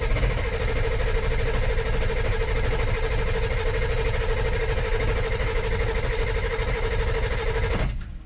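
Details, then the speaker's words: 2000 Ford F450 diesel dump truck, rusty non-runner, cranking steadily for several seconds without catching; lots of air found in the fuel bowl after high pressure oil was restored, starving the engine. "So I chased problems after problems, but once I got high pressure oil, I was noticing I was getting a lot of air in the fuel bowl."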